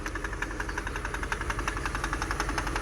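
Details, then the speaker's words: 2006 Mercedes CLS 500 running after fuel pump work; rough idle with sharp regular knocks about three per second and oil burning off, owner calls it a misfire; engine knocking at idle. "now there is some knocking going on listen to it"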